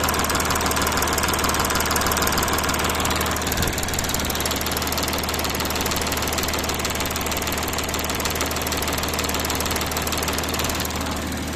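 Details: Audi A6 4G engine noise test: steady idle with fairly regular tapping about three per second over the hum; cause unknown.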